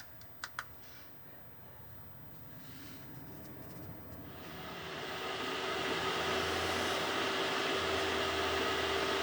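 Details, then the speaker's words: 2 kW Chinese diesel air heater in a Renault Trafic camper van starting up, at first blowing cold, warm after a few minutes: blower rush builds steadily with faint even pump ticking; normal running. "So it's been a few minutes now, and that is coming out lovely and warm."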